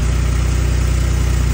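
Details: Ford V6 EcoBoost (F-150/Expedition type) at cold start: a low, fast, even rattle over the idle that goes away, likely from loose turbo wastegates. Ford considers it normal; the turbos were replaced once after it began near 15,000 miles.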